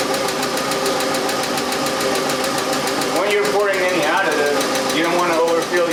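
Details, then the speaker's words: Idling engine of a long-sitting car, before adding Rislone engine treatment: light steady tapping about two or three per second over idle; lifter tick suspected from sitting. "because the car sits now it has the Bell lifter noise you know tapping sound from a lifter"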